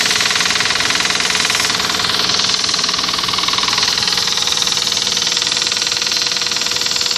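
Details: Toyota 1GZ engine: a sharp, regular knock at about three to four per second rides over the running engine throughout. An internal knock, source not yet known.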